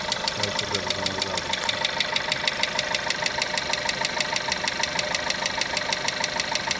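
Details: VW Golf 1.4 TSI at idle: sharp metallic ticking at about two per second, very even, riding over a quiet idle; engine clicking noise, cause unknown.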